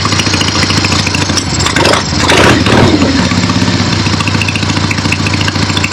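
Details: Finished 1975 Harley-Davidson XLH Ironhead Sportster after rebuild, basically stock, real road test ride with gas tank fitted, camera clipped to rider: V-twin pulsing evenly through a brief rev, then settling to a steady lope; sounds healthy, runs great.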